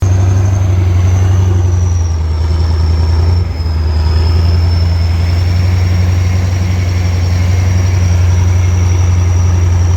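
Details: Kirovets K-700 tractor turning in a field: deep, steady diesel rumble with a thin, high turbo whistle that dips and climbs with load. Normal turbo whistle.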